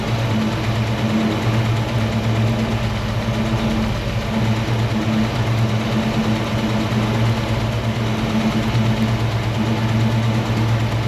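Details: 1968 Mustang 302 V8, first start after installing a Pertronix Flame Thrower distributor and coil with Moroso plug wires, timing set close to its previous mark: smooth, steady low idle with an even beat and no misses or surging. Idling happy.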